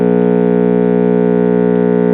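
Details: Mid-1960s Bulova "Power Transistor" AM clock radio, possibly Arvin-built, transformerless line-operated chassis, at first switch-on: loud steady siren-like squeal of constant pitch; oscillation caused by failed, dried-out filter capacitors.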